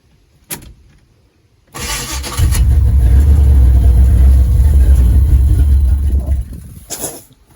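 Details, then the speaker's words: 1979 Camaro with built 350 and rebuilt transmission, first start in a year after fixing bad connections: catches after short crank, settles into deep, steady, even rowdy rumble, no knocks or misses; over 60 psi oil pressure at idle, running healthy. "This thing is rowdy. Come on, I want to show them how rowdy you are. Listen to this. Pretty sure that's what angels sound like."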